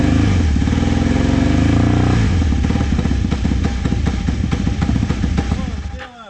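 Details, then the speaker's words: Vintage motorcycle started with starting fluid: rough uneven blatting held only on throttle, sags and nearly dies as revs drop; won't idle, owner suspects idle jets need carb cleaning. "needs carb clean because the idle jets are uh it won't idle"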